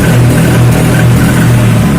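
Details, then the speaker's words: Honda Vario 125 fuel-injected scooter (pre-LED model): under throttle it drones heavily, stutters and pops from the exhaust, with weak pull. The injection light blinks 8 times, pointing to the throttle position sensor, which had a spacer inside and its brass scraped. "Suaranya meletup-letup. Mentolong terus dan kedip 8 kali. Wis, suaranya gak enak, berundung berebet, nembak."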